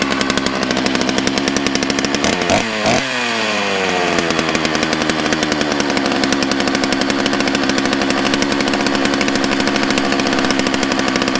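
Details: Used chainsaw that had been given away, started on fresh gas after a squirt of prime: catches after a couple of sputters, blips up and settles into a steady, even buzz with clean throttle response; runs fine.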